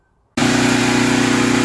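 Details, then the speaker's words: Small generator with a fully redone fuel system (gas line, carburetor) that had been surging and dying: after the idle speed was turned down, it starts and settles into an even, steady idle; the surging is fixed. "right guys so I just turned the idle speed down and this is what I got I'm about to run a few minutes and then I'll check back with y'all well I think I'm gonna call that a win"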